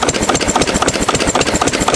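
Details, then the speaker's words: 6 HP Witte diesel, revived after 30 years with valve work, oil change, fuel-system cleaning; governor spring removed, so running about 300–350 RPM versus roughly 750 rated; slow, loping thump with steady rhythmic clatter, little smoke; slow idle. "And of course, this, you know, this engine is probably rated at about 750 RPM or so, I think. Right now it's probably only doing 300 350 RPM"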